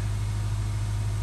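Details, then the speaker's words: Subaru Outback whose engine had failed catastrophically and sat disassembled for years, first run after reassembly; smooth, steady low hum at idle, no skipping and no leaks, then load applied; a healthy idle. "leaking it's not skipping let put a load on it oh yeah oh that's the stuff"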